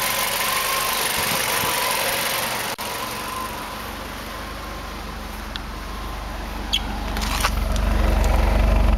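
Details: 2005 Ford Focus 2.0 Duratec running rough and seemingly lean after new fuel filter, coils, cold-air intake and cleaned MAF, just after fitting Autolite AR103 plugs gapped 0.055: idle hunts with uneven lumpy pulses; owner suspects exhaust leak, plugged cat or bad O2 sensor.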